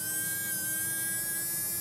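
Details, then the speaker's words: Mantua Shifter tender motor after cleaning commutator and brushes; steady even whirring hum with clean high tone, no crackle or stumble, running smoothly. "And that sounds a heck of a lot better. So, $13.95 for my tender and a working motor, if nothing else."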